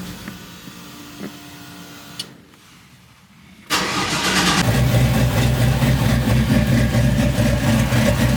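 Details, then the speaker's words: Chevy C10 truck after a new wiring harness, injectors and MAP sensor: it cranks, catches and idles well briefly, then turns uneven and lumpy after a few seconds, with O2 sensors misreading; vacuum leak. "So, after checking the truck out, there seemed to be some kind of vacuum leak that was making the idle act up on this truck. When you first turn it on, it started off good, but then after a few seconds, it started tripping out."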